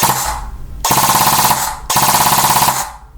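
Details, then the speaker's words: E&L AK12 AEG rebuilt with Arcturus parts, gearbox with metal bearing spring guide and adjusted motor height, full auto on 7.4 V battery: two crisp bursts of fast, even rattling shots, snappy start and stop; gearbox cycling cleanly and healthily. "it sounds great on a 7.4 volt"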